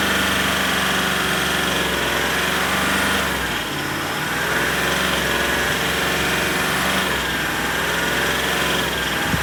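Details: Range Rover SDV8 diesel at steady idle with a faint, uneven knock or tap over the rumble. It persists despite new twin turbos, both EGR valves, oil and EGR cooler seals, and oversized big-end bearings after a crank regrind. The source is unclear.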